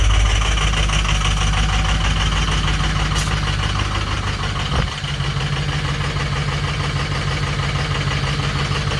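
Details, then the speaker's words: Diesel just fired in 12-degree weather after 2 hours on the block heater (oil 56, coolant 60 degrees), reluctant to start; lumpy, uneven idle with a brief stumble mid-clip, expected to clear once warm. Rough cold idle. "There she goes. So she does fire. You just don't like it at all."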